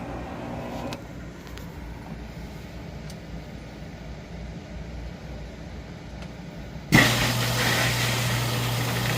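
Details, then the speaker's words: Frigidaire Affinity front-load washer (standing water in drum, broken door latch) on warm quick wash, door locked: quiet, then a steady low hum starts abruptly and holds evenly without rattles; normal drain pump operation. "Okay, door's locked. Pump is running. Tiny bit coming out"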